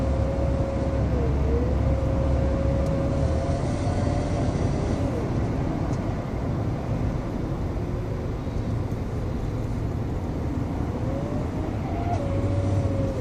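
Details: 2013 Ford F-150: loud road or engine rumble with a thin whistle wavering with throttle, suspected failing turbocharger.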